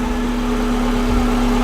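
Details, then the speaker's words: Subaru EJ20-swapped VW Vanagon transporter, fast idle just over 1,000 rpm (true idle about 800): smooth, steady hum with no ticks, misses or surging; healthy engine, though idle hangs up slowly. "Yeah, just over 1,000. Sounds really good."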